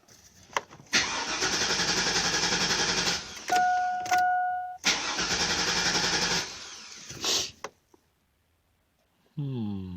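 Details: 2002 Chevy Avalanche 2500 with hard starts and stalling, cold start with coolant temperature at zero: two long cranking bursts with steady starter rhythm, engine barely catches and dies each time; fuel starvation from a weak fuel pump.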